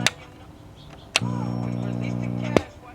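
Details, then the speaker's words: GE T1250 table radio after FM IF repair: a switch click, then a steady low hum at one pitch until the next click. It disappears when power is cut while the radio keeps playing. Filter hum suspected, possibly swapped 100 µF and 47 µF filter capacitors, not confirmed. "you can hear that there I don't know how much camera I'll pick up on it but that sure sounds like filter hum to me"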